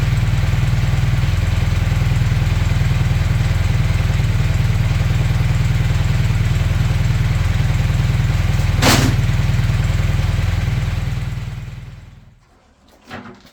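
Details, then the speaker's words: Honda CB400T Dream twin after carb synchronization, mixture leaned, idle set to about 1200 rpm, on a temporary fuel tank: an even, steady tickover, less lumpy, no misses, then switched off and winding down; a normal idle. "um it does seem to be ticking over better less lumpy I've altered The Tick over back to around about 1200"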